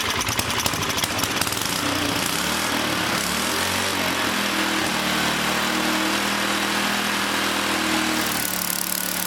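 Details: 100-year-old Model T spark plug fitted to an old small single-cylinder engine, restarted: steady buzzy even beat with no misfires or knocks; running normally.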